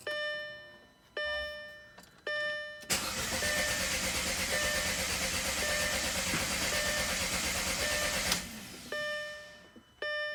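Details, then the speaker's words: Audi A4 B7 after new coils, spark plugs, alternator, starter and battery, with a spliced coil wiring harness: dash chimes, then steady starter cranking for about five seconds that never catches; crank, no start. "so you can see it's just not starting let's do that one more time"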